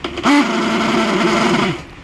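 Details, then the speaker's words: Preethi Trio mixer grinder, customer complaint of loud noise: brief run with wavering high motor hum rising and sagging unevenly; worn top copper armature bush or shaft letting it shake. Fix is replacing the bush or armature. "இந்த இடத்துல ஒரு copper push போட்டு இருப்பாங்க அது தேஞ்சாலும் இல்ல இந்த soft தெரிஞ்சாலும் உங்களுக்கு இந்த மாதிரி ஷேக் வந்துச்சுன்னா உங்களுக்கு அந்த மாதிரி சவுண்ட் வரும்"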